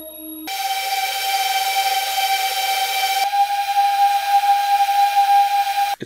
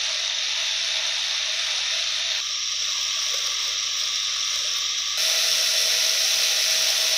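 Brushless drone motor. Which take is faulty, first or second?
second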